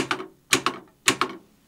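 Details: Home-built beer filling machine, running once its 24 V supply was switched on, cup dispenser mechanism: three crisp double clicks about half a second apart, even and clean with no binding or grinding; cycling properly.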